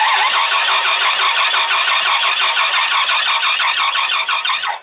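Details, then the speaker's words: 1993 Dodge Ram 2500 V10 no-start, cranking with tester on crankshaft sensor: steady cranking beat about three per second, never catches; tester lights never flicker, crank sensor confirmed bad. "and you see that those lights didn't even flicker so we know this sensor is bad so that's good to know"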